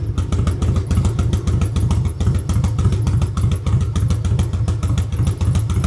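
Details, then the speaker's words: Harley-Davidson Road King converted from Magneti Marelli EFI to a CV40 carburetor, pushrods adjusted, carb retuned: deep, even potato-potato V-twin idle with no ticking after lifters quieted; runs normally, starts without throttle. "But as you can see, this thing runs beautifully."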